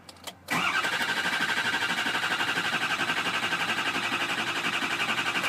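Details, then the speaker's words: 2004 Ford Excursion 6.0L Powerstroke diesel, no start: starter cranks strongly at a steady rhythm about four beats a second, hiccups but never catches; all injector circuits read low, pointing to a failing FICM, fix is FICM replacement. "may crank strong it may HIC up and try to start and this right here is a dead giveaway that Fick them is failing"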